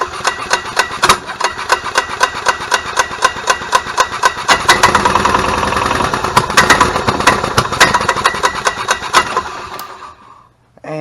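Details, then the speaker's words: 1998 Club Car DS gas golf cart engine running with sharp uneven pops and stumbles, about four a second, misfire; new RPM limit box didn't fix it, so a new ignition coil is to be tried next. "in this case it is definitely not the limit box so we'll throw the old one back on and we're going to get us a new coil to throw in see if it fixes the spark issue"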